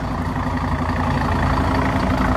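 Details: Setra S 315 coach (fleet no. 83, six-cylinder diesel) idling: steady, even low diesel beat with no knocks or misses; the engine sounds healthy.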